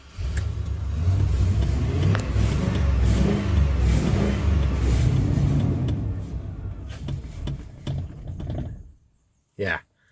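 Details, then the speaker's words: Barn-find Chevy 3500 8.1 truck, sat about two years: revs unevenly, bogs and sputters under throttle, then dies after about nine seconds; owner suspects fuel starvation from a clogged fuel filter, with the pump heard running hard. "I think it's a fuel starved still I hear the pump running as hard as it can"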